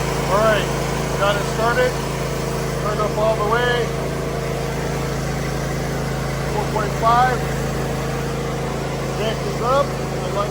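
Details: John Deere Z325E mower after drive belt replacement: even, steady engine drone at constant speed with no knocks, squeals or slipping; birds chirp in the background.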